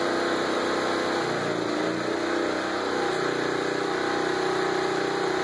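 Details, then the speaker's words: Small portable generator powering a transformer arc welder set at 35 A while tacking: the engine drones, sagging and recovering under the load, with arc crackle on top. The generator struggles with the welder's draw, and the owner expects a sticky arc. "I'll film the uh welder and I guess the generator so you can hear it struggling"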